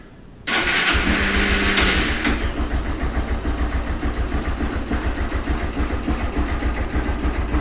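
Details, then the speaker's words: Honda CG 160 on a cold first start, which won't stay running and has lost its idle since a valve adjustment. Uneven lumpy idle with quick light tapping three to four per second, suspected valve noise that disappears when hot; engine ticking at idle. "E aí ela geralmente ela não vou dar a primeira partida aqui ela não fica ligada e ela ainda assim tá fazendo esse barulho no motor um barulho de válvula"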